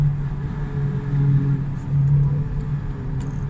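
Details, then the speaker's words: Car driven after a quick-engaging clutch and a stall, throttle lifted: a steady low drone with a hum over road rumble; a transmission noise on overrun, louder on the left, possibly axle or input shaft bearings, unconfirmed. "The transmission sounds like shit when I let off the gas. Oh my god. What's that sound? It could be like axle bearings, or maybe"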